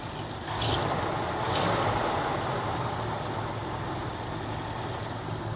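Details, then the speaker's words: 1966 Jeep Gladiator petrol engine, first run in 24 years: uneven, stumbling idle from incorrect carburetor idle mixture, adjusted via the mixture screw. "It's stumbling."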